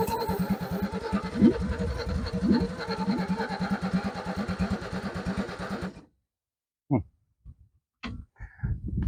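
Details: Ford XP Falcon cranked after sitting for 35 years: slow, uneven cranking for about six seconds that never fires; turns over but won't catch. Cause suspected, not confirmed.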